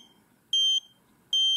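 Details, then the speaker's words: FPV drone connected to a smartphone over USB: two high piercing beeps repeating every 0.8 seconds, a flight controller beeper; stopped once GPS-related beeper settings were disabled in SpeedyBee beeper configuration. "Now it's not beeping. So probably one of the GPS related, there's a GPS related settings were causing this beep."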